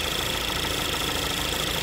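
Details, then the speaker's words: 2013 Chevy Malibu 2.5L at idle, one of its two PCV valves pulling vacuum: faint, steady high hiss over a smooth, even idle; normal PCV vacuum. "it's a weird setup but this one's definitely pulling just you can hear it"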